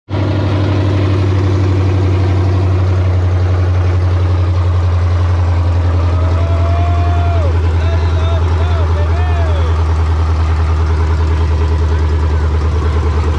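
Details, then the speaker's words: 1968 Dodge Charger with Hellcat engine swap, first start, no air filter, O2 and other sensors unplugged, no cooling: deep steady drone at raised fast idle; owner suspects missing air filter and unplugged sensors. "i felt like it was island super high boys it could be because i don't have an air filter on here it's probably detecting that"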